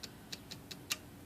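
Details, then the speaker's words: IBM Selectric III typewriter after a complete service: light, sharp ticks with an extra click during indexing, ending in a heavier clunk. The cause is a worn, grooved detent ratchet roller causing index misfeed, which was replaced. "you got to listen closely to this to catch it but it's making a weird noise here on the index here so it makes it a little extra click"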